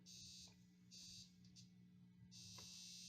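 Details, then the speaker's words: Vintage Marshall Plexi 50W running 412 and quiet until chassis bumped: steady low hum with harsh high buzz cutting in and out in bursts as chassis shifts; intermittent buzz, source not yet found. "we go. Just a slight shift. Now listen to it. It's got a gnarly buzz."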